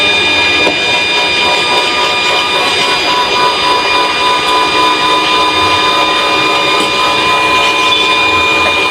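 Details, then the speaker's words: Cotton candy machine spinner with a 12 V dynamo on an adaptor, speed control set to the P mark. Steady high-pitched whir at constant pitch, soft and smooth, with no wobble, rattle or grinding. Normal motor run. "Suaranya lembut ya, halus."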